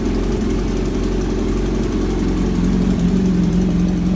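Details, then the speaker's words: Kawasaki Z900 four-cylinder, cold start after long sitting, idling: deep exhaust thrum with a loud persistent ticking from the front of the engine, also audible when riding; owner suspects a leaking exhaust header gasket, unconfirmed. "now I guess you are able to you know understand how the bike is is making that ticking noise and um you know it's it's it's it's literally loud okay it's literally loud"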